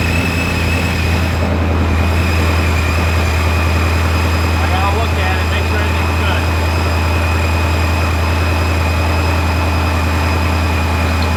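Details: Ford 5.0 Mustang newly supercharged, first start after flashing the tune and before warm-up (coolant had been spilled into the intake runners): a deep, loud, steady rumble with a faint high whine and no stumbles or knocks; a healthy idle.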